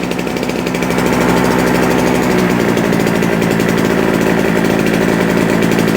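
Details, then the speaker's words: JCB two-stroke generator, unused for a couple of years, restarted and putting out about 200 volts; steady, fast, buzzy drone at constant speed without surging or stumbling; running properly. "oh sounds good let's find something to plug in but does it actually work yep"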